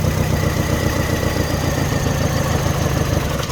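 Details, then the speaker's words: Mini Cooper idling rough after cylinder head refit: stumbling beat with periodic dips, one cylinder missing. Suspect cylinder one; could be injector, coil, spark plug or cylinder, so injector one swapped to four to test. "right i think we've got a misfire first thing to do is quick test"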